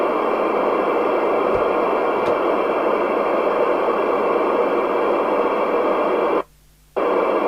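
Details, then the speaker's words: 1997 Jesan 88-900 CB27/81 UK FM CB base station, revived from scrap, first power-up at lowered volume. Steady even hiss cuts out cleanly for half a second and returns; normal receiver hiss and squelch. "Okay, so now we'll turn it on, but I'll make sure the volume's lower. Yep, there we go."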